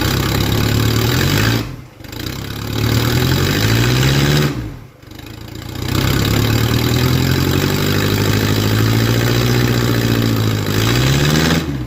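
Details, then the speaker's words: OM616 diesel-swapped 1968 Mercedes-Benz, open straight pipe with no muffler while a new exhaust is built: engine catches and revs up and down, harsh, raspy and far too loud; unmuffled straight-pipe exhaust. "okay I think it's safe to say that's not the answer basically just sounds like an angry Briggs and Stratton Muffler it is"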